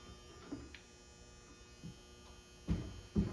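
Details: Galaxian arcade cabinet during restoration, powered on: faint, steady low electrical hum with handling knocks. The monitor seems to get no power, apparently no neck glow, and it sparked. Mains hum.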